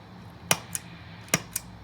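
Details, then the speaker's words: New IdiotBox No Moon pedal, quiet amp, guitar volume off: two sharp snaps a quarter second apart, repeated, over quiet hum; loud switching pop on Big Muff and Rat sides, Tube Screamer barely pops. "maybe even a little bit more audible tube screamer in the middle doesn't really seem to do much of anything"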